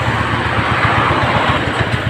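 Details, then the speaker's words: Suzuki Spin carburetted scooter, before repair: the idle pulses unevenly, rising and sagging as if about to die, and sometimes revs up or stalls by itself. Mechanic suspects a scratched, sticking carburetor vacuum slide; intake leaks or hoses are also possible. "Jadi kalau langsam ngekor itu otomatis dia bilang untuk gasnya sangkut ya, padahal untuk langsamnya sendiri tidak stabil ya."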